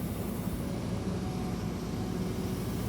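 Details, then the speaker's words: Diesel air compressor, parked level with handbrake on and hatches shut, switched from start to run: even, deep diesel rumble with no knocks or misses as it reaches 120 psi and makes air. Healthy. "what's happened now is it's come up to 120 psi. And now I've got volumetric air being created because the pump, the compressor itself, is pumping adequate air to facilitate what I draw off here now."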